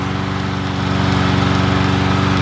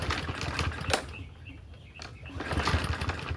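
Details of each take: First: Troy-Bilt TB110 push mower single-cylinder after valve lash check, new plug gapped to .030 and used replacement carburetor; steady even putter with regular firing and no misses or knocks, running clean. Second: Troy-Bilt TB110 push mower, little fuel in tank, possible rattle; several weak cranking pulls with sputtering catches then a loud uneven run, a poor hard start.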